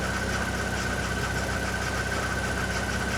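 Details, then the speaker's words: Mazdaspeed 3, first start after six years; steady idle with fast rattle and thin squeal from belt area. Power steering pump rattle from low fluid; reservoir found completely empty, filled with ATF, sound then gone. "If you're hearing a noise, I think it's the power steering pump is low. It's coming from the belt area."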